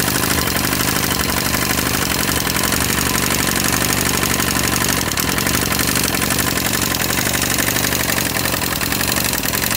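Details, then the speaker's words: 250cc Jiangshe air-cooled ATV at a rough cold idle: loud, fast metallic ticking at about four a second. There is a lot of rocker-arm play, so the valve clearance is excessive and needs adjusting. "I'm going to start it and let you hear the sound it makes, there's some sort of kicking into the iron, a really loud sound."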